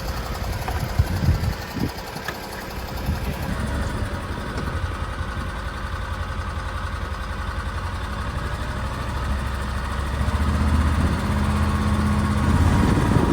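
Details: BMW N52 engine after coolant reservoir ran empty and added coolant vanished, clunk on restart: rough uneven idle with loose knock about three per second over low rumble; serious internal damage suspected.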